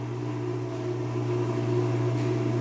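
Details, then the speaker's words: Whirlpool washer in manual test mode, drain pump running: even steady low motor hum with no rattle, grinding or surging; the pump works normally. "and a while ago it seems to me that here they sent me the pump but as I already told you that one runs there is the pump"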